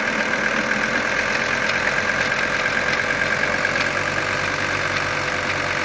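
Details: 1980 Mercedes-Benz 300CD five-cylinder diesel at steady idle with a light, even knock over the clatter, more audible with the AC on; a mechanic's stethoscope could not locate the source, cause unknown.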